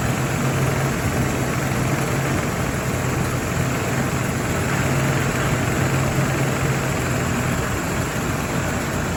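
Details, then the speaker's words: 1983 Cadillac Seville, newly returned to running: steady, even low rumble at idle with no misses or knocks, running well; a whining noise is suspected to be the power steering pump, to be topped up with fluid. "Okay. That's running well. It's good."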